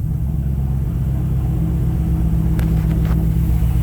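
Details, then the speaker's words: First start of project Mismatch wired to the truck ignition, intake components not yet connected: deep, lumpy, uneven idle with a wavering rumble; rough running from major intake vacuum leaks. "yay runs sounds like poo poo because we don't have any of the stuff plugged in um for the intake and all that kind of stuff so we got major leaks and whatnot"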